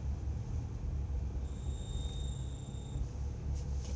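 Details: 2011 BMW 335is in winter, about -1 degrees: a thin high whistle rises for about a second and a half over low cabin rumble, only when starting to brake with the heater on; it stops when the heater is off.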